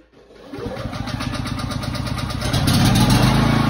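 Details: Champion 4250 W open-frame inverter generator, no load: quick crank catches cleanly, revs climb smoothly and settle to a steady even hum; healthy start.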